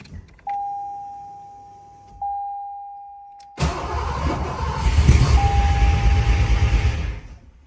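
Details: 1986 Foxbody after throttle body change, with no hole drilled in it: two chimes, cranks and catches, runs rough about three seconds and dies; owner suspects it needs more fuel.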